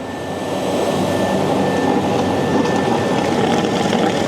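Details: Waste oil heater setup with a 250-gallon storage tank: steady loud hiss of air rushing through with a faint thin whistle on top as the barrel being pumped is emptied; the air supply is then shut off.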